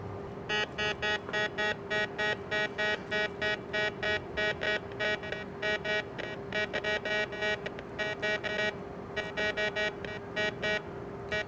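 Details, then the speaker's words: White's MX Sport metal detector with Detech Ultimate 13-inch DD coil, air test with no target. Quick, uneven chatter of beeps; the big coil acts like an antenna picking up heavy surrounding electromagnetic interference. "Now you can hear the machine's a little bit chatty right now. There's a lot of EMI around here, and a bigger coil acts like an antenna, picking up more EMI."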